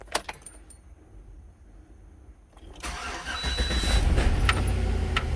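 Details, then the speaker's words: Chevy Tahoe, 161,600 miles, towed in for a no-start, after fuel pump replacement and fuel line repair: a short crank, quick catch and steady idle with no stumbling. Fuel pressure reads 55, judged perfect. "Oh, 55. Yeah, that's perfect. Alright, I'm happy with that."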